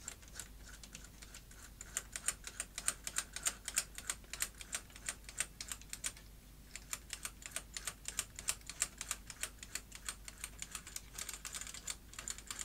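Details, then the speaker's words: Sony SuperBeta SL-HF600 Betamax VCR during unlace: fast irregular ticking and clicking about three a second; one lacing side not starting properly, possibly stripped gear teeth. "so why doing lace is this side not starting properly that might imply stripped teeth which could be quite bad"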